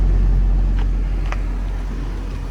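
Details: 1998 Honda Civic Type-R with 133,000 km, stock four-cylinder, no smoke. A smooth, even low hum at idle with no ticking, belt squeal or hunting. Normal idle.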